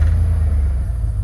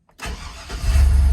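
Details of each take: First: 1999 Chevy Silverado 1500, 4.8 gas V8 with a hard-start problem, cranks and dies: under throttle it trembles, stutters and struggles to stay running; owner suspects fuel pump not delivering, fuel starvation. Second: GMC/Chevrolet 1500 pickup on jack stands after fuel pump replacement: cranks briefly, catches cleanly and settles into a steady, even idle with no stumble or misfire; normal start, running better than before the repair.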